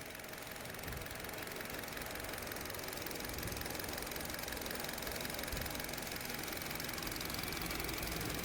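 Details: Hyundai Verna 2023 petrol automatic (BS6) brought in for overheating, coolant loss and constant fan, idling after about two hours running during repair: steady idle, soft even patter, no heavy knock; running normally.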